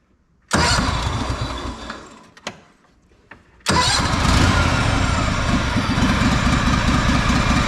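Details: Honda 4118 riding mower with a GXV610 V-twin, bought non-running, with a new starter and two new coils after mouse damage. On choke it catches, dies, then restarts into an uneven sputtering idle that never clears. Cause unknown; the owner plans to check valve adjustment.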